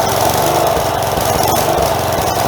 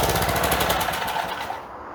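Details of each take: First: Four-horsepower Craftsman edger that sat outside for many years, first run after carb replacement (sand found in old carb): small single runs fairly well but surges slightly, with the breather and air filter not yet reinstalled. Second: Craftsman 4 hp edger, single-cylinder, found with sand in the carburetor, running after a new carb was fitted; a possible bowl gasket fuel leak was noted. Quick, crisp popping holds a steady rhythm before dying away. Normal running.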